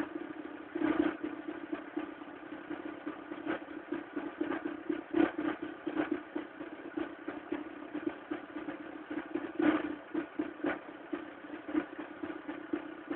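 Cold idle with an uneven, irregular clatter and sharp ticks over a steady hum; noisy cold running, cause not evident. Cause suspected, not confirmed.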